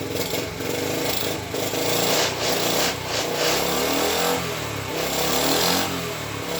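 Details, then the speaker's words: Honda ST50 during rebuild, first kickstart attempt, running on choke: small single buzzes along but stumbles and surges instead of holding an even idle; uneven running, owner plans to source another coil. "so the fuels are didn't surround the car didn't sound the best but we'll see"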